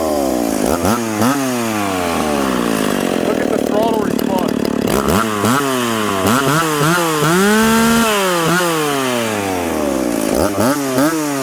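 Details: McCulloch Pro Mac 850 chainsaw with a home-built expansion pipe (no damper), with fuel richened slightly for this cut after a 10,300 rpm cut. Sharp two-stroke wail sags and recovers repeatedly as the chain bites. Normal cutting under load; pipe judged a success.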